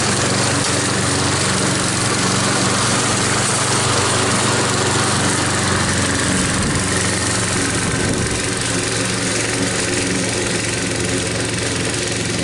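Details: Troy-Bilt mower after head gasket repair using parts from another engine, cutting under load: loud even drone, steady with no surging; healthy.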